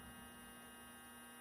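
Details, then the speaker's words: Athearn Blue Box F45 model locomotive, 280 motor on bench clips just after bearing oiling with two dots: smooth steady hum and even whir, no rattle or scraping. Current draw dropped slightly and it is quieter than when dry. "But it's quiet. Quieter than it was. That's proper maintenance on a motor now."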